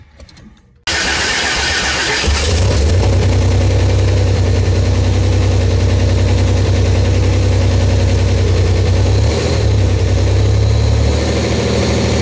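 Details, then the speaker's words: Buick Grand National freshly built engine during cam break-in, varying 1500–2000 rpm; the down pipe is not yet tightened. It fires first shot into a steady, even fast idle with a deep exhaust drone and no knocks or misses. Sounds healthy, with no leaks. "looking pretty good no leaks No Mess anywhere we're doing good they're fired right up first shot I'm impressed with that"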